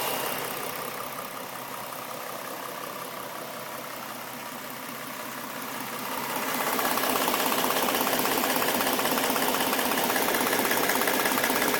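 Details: Stock 2011 V6 Mustang, 24,000 km, at idle: fast even tapping of about 160 per minute that grows louder; passenger-side cylinder head sounds like a knock, left head only injector tick; knock suspected.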